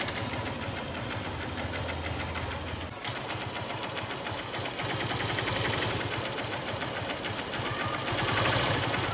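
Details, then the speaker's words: Honda Unicorn BS3 motorcycle engine at idle: steady, light tick-tick about four per second that started suddenly from the engine. The owner doesn't know the cause and asks what it could be. "पता नहीं अचानक से बहुत टिक टिक टिक टिक टिक की आवाज आने लग गई है बाइक के इंजन से"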